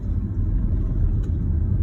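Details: Mitsubishi Space Wagon on dual fuel, mainly LPG with a European EG gas system, main ECU remapped and gas tune adjusted, on a real-road test: a steady deep rumble with no knocks, misses or surging, pulling smoothly and healthy.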